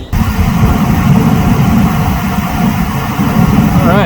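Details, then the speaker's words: 2006 Ford F-250 heater blower motor running again after its connector was cleaned with electrical contact cleaner and reseated: a steady, even, low whoosh with a deep hum and no dropouts, so the blower now works normally. "well that noise you're hearing there's not a jet overhead but it's the heating over here"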